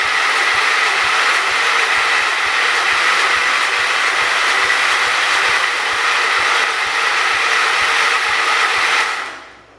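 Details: John Deere 212 donor tractor, fuel delivery uncertain and a loose connector suspected: starter whirs steadily for nearly ten seconds without firing, then stops; cranks but no start, cause not confirmed.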